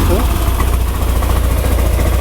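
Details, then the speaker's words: Yamaha NMAX scooter at idle after makeshift repair of broken intake resonator with a spray-can bottle: smooth steady low thrum, snoring intake noise gone. "eh terus ini getar nggak ya kalau misalnya getar ini kalau mesinnya gerak filternya gerak juga nggak ya sekarang gak ada suara aneh lagi"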